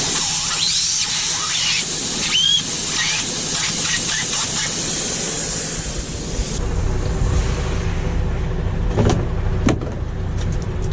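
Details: MAN truck with air built up and the brake pedal pressed: a loud steady hiss of escaping air for several seconds that dies away, then short hisses; the nearside rear brake chamber leaks heavily under braking and needs replacing.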